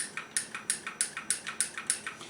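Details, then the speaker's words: Original Atari CX10 joystick, about 40 years old, from a Heavy Sixer: crisp, even light clicks about three a second from its internal mechanical switches, normal and a sign of an original CX10. "I'm gonna be quiet na mo if you can hear this clicking or not if you hear that clicking"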